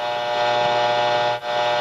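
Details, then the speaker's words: Shop radio receiver: loud steady buzzing drone of stacked tones with one brief dip; electrical interference noise, owner suspects lost grounding, not confirmed. "I've got a lot of noise in this shop and I think I might have lost some ground because when I first put it in I didn't get all this as bad now I got a lot of noise in this shop and that's what the whole idea of the grounding is"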